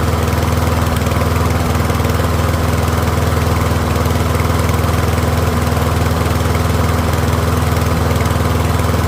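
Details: Troy-Bilt rear-wheel-drive mower with Briggs & Stratton engine, after ultrasonic carb cleaning, warmed up and left running a few minutes on partial fuel, pretty quiet: even single-cylinder beat at constant speed, no surging or sputter; running smoothly.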